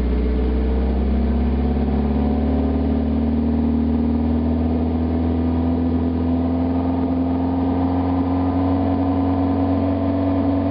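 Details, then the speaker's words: 1991 Mazda MX-5 Miata, parked about 5 months, running with catalytic converter removed: loud droning exhaust with a steady low tone climbing slightly with revs; revs quicker and runs smoother, deeper, throatier sound. "Sounds like crap. Definitely revs up a whole lot quicker though. I mean, the whole engine seems to be running smoother. But you remove all that back pressure from that catalytic converter and it's bound to help a little bit."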